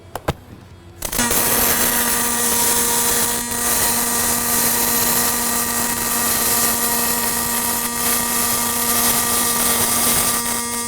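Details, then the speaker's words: Fronius Fortis 270 pulse MIG on aluminum, set by thickness at about 177 amps, no push-pull or spool gun: steady even buzzing hiss with fixed tone, no crackle or pops; no spatter. "Yeah. There was no spatter."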